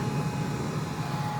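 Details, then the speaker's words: Country Smokers pellet grill after replacing a temperature probe damaged in a grease fire that caused runaway pellet feeding: even low fan hum, feeding pellets without runaway, holding about 200–210°F; normal running. "sounds like it's putting in more pellets all right let's see what the top says 90 to doesn't sound like it's really going it's not like acting like it's keeping and going and going and running itself away which is nice"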